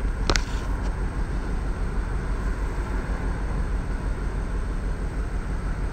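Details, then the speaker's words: 1999 Ford Expedition 4.6L V8 after owner's DIY tune-up: deep, lumpy uneven idle shaking the hand, check engine light on but no misfire code; cylinder balance test points to cylinder five. "okay as you can see the misfire how much my hand shakes but computer didn't pick up the problem yet"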